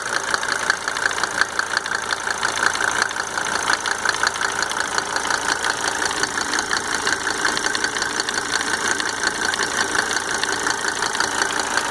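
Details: Mercedes W124 300D 2.5 litre diesel at idle with five newly rebuilt injectors: sharp repeating ticks over steady idle clatter, no rev change; source of the tick undetermined.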